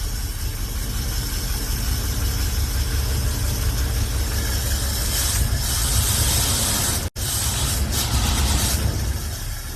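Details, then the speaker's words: V8 just worked on overnight runs badly: a deep, lumpy idle with an uneven, stumbling beat, then it dies. Owner suspects it is firing on only 6 of 8 cylinders and plans to check each cylinder; misfire, rough idle. "It sounds like shit right now. I think it's firing like on 6 cylinders. There, it died. So I think we have a misfire here."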